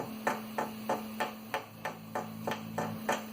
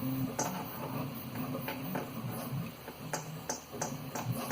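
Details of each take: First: 3D printer extruder cooling fan (stock Noctua): about three light taps a second, each stopping dead with no ringing, over a faint hum; healthy bearing, unlike the rattling fan that mimicked X-axis bearing noise. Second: 3D printer extruder fan, about one month old: light taps give a thin metallic ring from a worn bearing, unlike the stock Noctua fans. This was the real source of a rattle first blamed on the X-axis rods and bearings.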